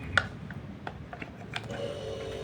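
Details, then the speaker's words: Polytron two-door refrigerator, bottom compartment not cooling: faint ticks then a low steady hum and vibration as the defrost timer runs, meaning the heater is intact; defrost timer working normally. "Nah ini kan ada getaran teman-teman ini menandakan berarti heaternya masih menyala teman-teman berarti heaternya masih normal gitu ya"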